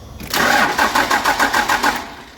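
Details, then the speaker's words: Third-gen truck cranking after swapping the relay to test the fuel shutoff solenoid: starter cranks steadily about five pulses a second under two seconds, no firing; solenoid did not move, not the relay, wiring problem. "you guys saw it. It did not move, so it is not the relay. So we have a wiring problem."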